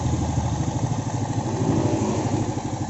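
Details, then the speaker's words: Yamaha Vega ZR after rebuild, fitted with a Honda Vario 125 piston in place of the stock one: steady, even single-cylinder idle with a soft regular pulse and no knocks or piston clatter; engine runs smoothly, normal idle. "suaranya Udah halus mudah-mudahan ini tangan sampai bertahun-tahun kemudian ya"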